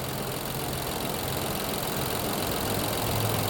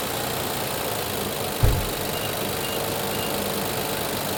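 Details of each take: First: 2020 Infiniti QX60 with oil consumption, 95,882 miles, codes P0300/P0304: quiet, slightly lumpy idle at about four beats a second; pulling the cylinder 4 coil changes nothing, as cylinder 4 is dead, misfiring from a fouled plug. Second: 2020 Infiniti QX60, 95,882 miles, with oil consumption and P0300/P0304 misfire codes, during cylinder deactivation testing: even, steady idle with one brief thump early on, running smoothly.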